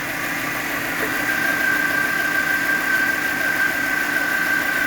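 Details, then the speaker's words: Chevrolet Spark 1000cc petrol engine at idle: steady, even hum with a faint high tone; an earlier chirping near the belts (power steering, alternator or timing belt suspected) is now gone, and the owner is unsure the engine sounds good. "Nah, ini ee ini kalau kita ASNR ya e kita mendengarkan suara asli mesin dia seperti ini. Saya saya kurang tahu nih apakah suara mesinnya bagus atau tidak."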